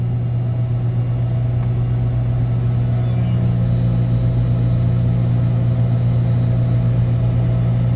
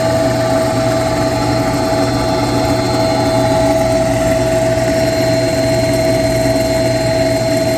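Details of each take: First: Screw chiller circuit one after a low discharge superheat alarm, fixed by recalibrating badly offset sensors; deep steady hum, even low drone, no knocks, rattles or surges, discharge superheat now good and making cold water: normal running. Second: Noisy pump on a chiller circuit after a low discharge superheat alarm (sensors found off and recalibrated), recorded up close: loud constant hum, sharp steady whine and rough rumble underneath; bearings or fan unknown, being checked with a vibration analyzer.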